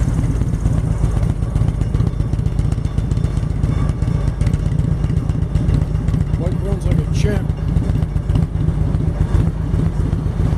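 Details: 1999 Harley-Davidson Road King V-twin at a steady, loping warm idle with even firing, running an aftermarket clone CV carburetor (main jet changed, mixture and idle screws about half a turn); a large cooling fan and the rattling lift behind it are heard; engine light intermittently on.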